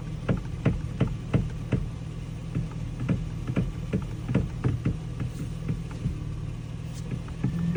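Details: 2007 Toyota Tacoma V6 at idle: sharp, dry clicks about twice a second from the steering wheel.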